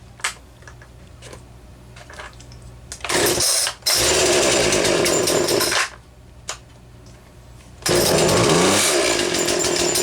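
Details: 2009 Wen 3814 chainsaw, a Homelite 25AV variant with little wear. Crisp two-stroke idle breaking into two hard, screaming throttle bursts; it picks up cleanly and returns to idle without stumbling.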